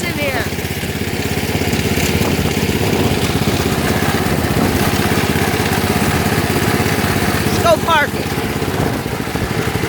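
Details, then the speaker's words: Lawn tractor on cold start: small engine runs steadily with an uneven, scratchy rubbing under the firing beat. The cooling fan broke off inside and is rubbing as the engine spins. "that sound y'all heard that's the cooling fan it broke off inside so I don't know why so that's why it's making that sound when it's running"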